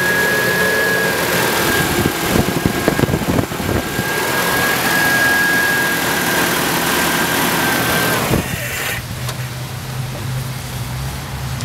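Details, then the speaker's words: 1987 Nissan D21 pickup, four-cylinder (called Z24, also called KA24 by one speaker), after fuel pump replacement: catches, revs briefly, then drops to a steady, even idle with no knocks or stumbles; normal start and idle. "what's good with it hers like a kitten hell yeah oh that's a ka24"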